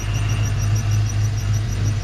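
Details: 1995 Saleen Mustang V8 after extracting and replacing a snapped rocker bolt: a steady, even idle with a smooth low rumble and no tapping or clatter from the top end; the bottom end was not damaged; normal idle.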